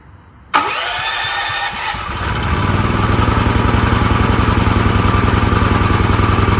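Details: Extreme Contractor Series 6,500 W (8,500 W surge) gas generator, almost 20 years old, after long storage; first start after cleaning the spark plug, air filter off, it catches into a fast, slightly uneven wavering chug. Rough running; needs fuel-mix adjustment.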